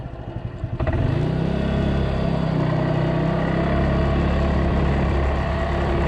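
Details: Polaris 300 Sportsman quad after drive belt replacement, rear bushing and new coil: engine catches after a couple of cranking beats, then settles into a steady, even low rumble with rain hissing behind; runs fine.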